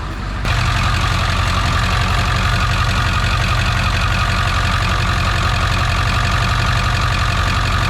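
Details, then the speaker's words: 1999 Ford F350 7.3 turbo diesel idling after an injector was replaced and the engine reassembled: loud, even clatter with no skips, no longer missing, running on all cylinders. "Sounds good. Definitely don't sound like it's missing anymore."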